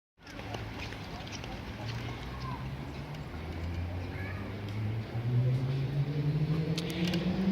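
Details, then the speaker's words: New Xiaomi Mijia M365 electric scooter riding with a hum plus faint squeaks and light knocks from a loose folding steering column lock; fixed with four layers of duct tape in the locking mechanism. "here is the problem with our new electric scooter it has a squeal here kind of a knocking sound we were wondering where it came from"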